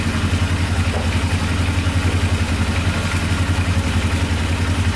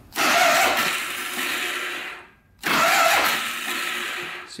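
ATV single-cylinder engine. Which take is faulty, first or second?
second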